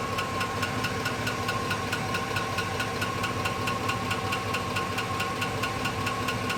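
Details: 2005 GMC Sierra at idle: sharp, regular, evenly spaced knock a bit over twice a second above the engine note; engine knock of unknown cause.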